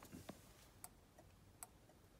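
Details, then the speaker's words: 1962 Land Rover Series 2a turn-signal circuit (Bussman 550 relay, Tex Magna switch) bench-wired to a test battery: crisp single clicks about every 0.8 s with the indicator light flashing. Flasher relay working normally. "See the little light in there flashing? You hear it clicking?"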